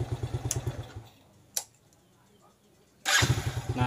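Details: Yamaha Jupiter Z, after fixing sputtering, heavy fuel use and weak power traced to the carburetor needle: engine snaps up crisply on each throttle blip, drops to a quiet idle and revs again cleanly with even firing; normal running.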